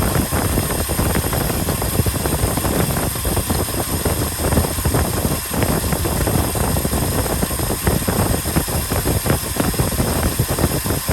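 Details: 1967 Ford F-350 Custom truck, sat for years, restarted on its old uncleaned points; busy rumbling V8 idle holding steady with no dying or surging, normal idle; carburetor accelerator pump diaphragm leaking badly.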